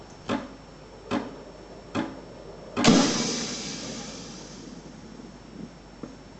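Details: Ascaso Dream: three sharp clicks about once a second, then a hissing rush that fades; some internal part is clicking, cause unknown.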